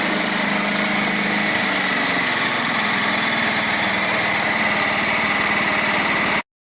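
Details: John Deere STX38 riding mower after replacing broken drive belt and tensioning spring in notch: steady, even buzzing run with no slipping, squeal or knock. Normal running after repair.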